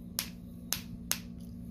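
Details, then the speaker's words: Bench test of a Mercury outboard distributor trigger (third backup) for a 1972 inline-six 1150, lights off: four crisp, sharp snaps about half a second apart over a quiet hum; sparks on each rotation, trigger good. "You can definitely hear it a lot better. So I got a good trigger in here."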